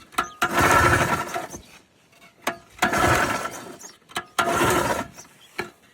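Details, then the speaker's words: Polaris Trail Boss 250 4x4 ATV rescued from scrap, being started after earlier work: three or four recoil pulls, each a short rasping spin dying away without catching; cranks but won't fire, choke tried next. "Oh, okay. She is not liking me. Try choking it maybe."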